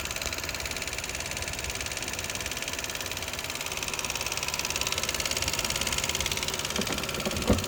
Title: 2011 lexus IS250c engine ticking noise- normal